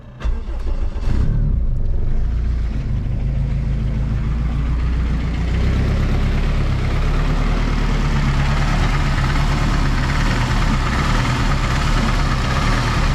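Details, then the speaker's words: Turbo K20 AWD Honda Civic wagon after retightening the exhaust bolts, all four of which had come loose, leaking and melting an oil line: it starts and settles into a steady deep rumble with no puffing or ticking. The engine rocks on its mounts; no more exhaust leaks. "[Music] that motor's rocking rocking quite a bit there nonetheless no more exhaust leaks"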